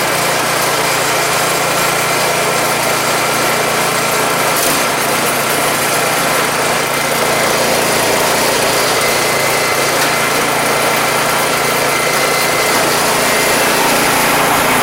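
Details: Troy-Bilt 2410 snow blower single-cylinder engine, first start after carburetor cleaning and oil top-off, cowling left loose: steady, even buzz with no surging or misses; no-start fixed, runs normally.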